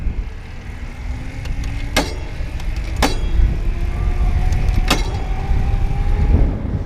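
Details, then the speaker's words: IZIP E3 Moda speed pedelec with no shift detection, shifting under motor power: sharp bangs from the drivetrain over rising motor hum as gears are mashed, then the motor cuts out afterwards, which the rider thinks is from shocking the system. "how it's a little bit more like bang, and then you hear the motor shut off afterwards because I think it sort of shocks the system or something."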